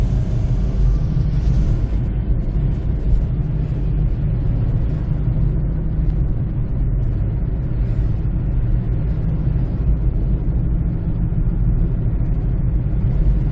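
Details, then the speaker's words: 2007 Honda CR-V, in-cab at cruising speed: steady deep rumble with no knocks from about six-year-old Black Lion tyres, front after rotation, cupped with flat spots; noise gone after replacing with Bridgestone Ecopia tyres. "so I definitely know the tire the sound is coming from this one so it's really uh loud noise I have uh recorded the video while I was driving so you can hear the sound of the tire"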